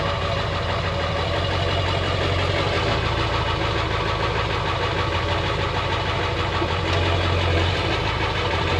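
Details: Ford F350 7.3 Powerstroke diesel, sat about a year, cold idle around 35–40°F with no block heater: steady even diesel clatter, no misses or surging; some smoke, owner suspects turbo; healthy idle.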